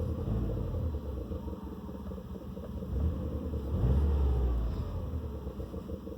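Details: 2006 Subaru Forester XT (SG6, EJ255, Prodrive ECU, near-stock catback) that cranks but won't or barely starts after refuelling: steady starter churn that never catches, despite new plugs, fuel pump, fuel filter and pressure regulator and no error codes.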